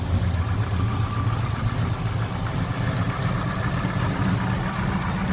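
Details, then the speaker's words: 1966 Chevelle SS clone with a 327 small-block V8 and 4-speed, fired up for a walk-around: deep, even burble with a steady low pulse and no knocks or ticks; healthy normal idle. "we got it fired up sounds healthy it's a top notch car guys"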